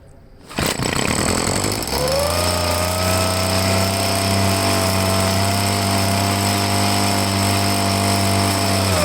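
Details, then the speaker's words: Handheld two-stroke blower started on full choke after priming: catches, climbs to a buzzing note and hangs flat instead of revving out; poor running, carburetor suspected and to be taken apart, not yet confirmed. "Not too cool. Might have to take the carburetor apart. It's no good."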